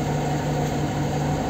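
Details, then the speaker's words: Lada Kalina 1 on petrol at the first start: a steady, slightly raised hum with no dip or hunting. The idle is noticeably high, which the owner says did not happen before. "сейчас на бензине друзья Ну холостой повышенный Это первый запуск"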